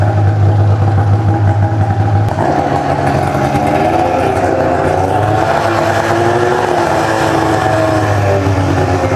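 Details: Ski-Doo two-stroke snowmobile, 17,000 km, just rebuilt with new pistons and gaskets, fresh synthetic oil, coolant topped up, choke on: loud steady burble, even firing, no knocks or misses; rebuilt engine running clean.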